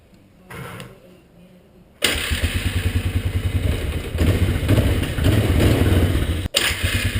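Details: 1998 Polaris Scrambler 500 H.O. after the starter bendix was cleaned, greased and reinstalled; it had been sticking on the flywheel and grinding: a short starter pull, then the single cylinder catches cleanly and runs a steady thumping idle with no grinding.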